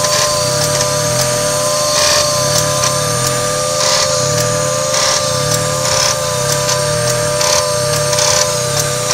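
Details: 1995 Mazda MX-3 idling: a sharp click about once a second, each one dragging the idle down with a brief rattle before it recovers to about 1,000 rpm. Owner suspects the AC; cause not confirmed.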